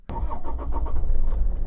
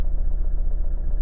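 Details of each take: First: Toyota RAV4 D4D diesel with rough running and an intermittent check-engine light after an EGR valve repair, restarted after MAF sensor cleaning: engine starts and settles to an even idle about 100 rpm lower than before, steady clatter. Normal idle. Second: Toyota RAV4 D4D diesel, warm engine on a warm day, with the MAF sensor still connected before cleaning; it has an intermittent check-engine light after an EGR repair. Even idle throb at about 900 rpm, slightly higher than expected.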